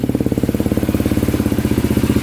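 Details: Polaris Predator 500 quad with a swapped-in 400EX battery: steady, even single-cylinder idle at about twelve firing pulses a second, no knocks or misses; idles cleanly and healthily.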